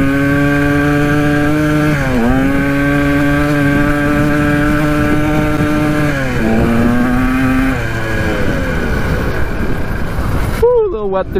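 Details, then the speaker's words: 1980 Kawasaki KDX 175 two-stroke dirt bike with a makeshift silencer fitted: loud buzz that runs well and revs out fully but slowly, dipping and recovering on throttle changes; owner suspects a sticking carburettor slide. "you can hear the bike runs pretty good but i think it's just a slide that's causing issues you can hear it uh rev out all the way but it takes a little bit i think it might be the slide"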